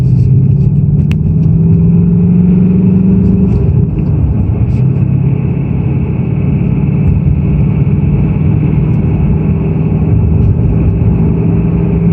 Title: 2018 Mustang GT piston slap Engine Rattle. Performance package level 2